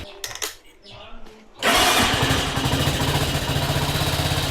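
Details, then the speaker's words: Carbureted 125cc Chinese budget commuter motorcycle after no-start repair, choke fully off: a few quiet clicks, then push-button start catches at once and settles into steady, even idle; normal electric start. "Now even the buttons start work, so that's awesome. Thank God."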